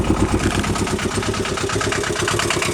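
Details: Aixam 400 microcar, standard version without soundproofing, idling after a battery start: harsh, clattery idle with quick even pulses and heavy cabin rattle, louder inside than outside; variator seen turning at idle; cause suspected, not confirmed.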